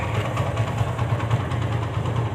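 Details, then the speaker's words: TVS Apache single-cylinder engine after engine rebuild and clutch bearing replacement: steady low idle rumble with even beat, no knocks or ticks; earlier "bad-bad-bad" noise gone, normal idle. "कि अब आवाज नहीं है बड़ बड़ बड़ बड़ करने कर रही थी जो पहले थी कर दो [प्रशंसा] कर दो कर दो अच्छा ठीक है भाई यह काफी अच्छी साउंड हो गई अब"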